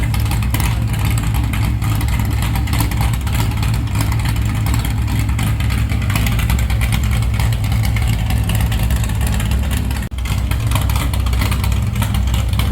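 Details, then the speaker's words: Stock 440 Mopar big block from a camper, in a Chevy K10, with the biggest cam that fits, said to be about 700 rpm idle: deep, loud rumble at raised revs with a lumpy, uneven beat. Misfiring a little, suspected from plug wires with bad spots; new wires planned. "That's about 700 RPM right there at idle. It is misfiring a little bit. Like I said, we need to get new plugs."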